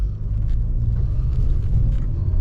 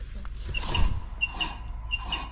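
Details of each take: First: 2010 VW Golf driving after an ABS repair: steady low road rumble with no growl or hum building with speed; rear wheel bearing sounds healthy. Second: Volkswagen right rear wheel hub spun by hand: high squeaky chirps in pairs over a low rumble from a bad wheel bearing; the tone ring is damaged and keeps grinding down the ABS wheel sensor, setting an ABS code.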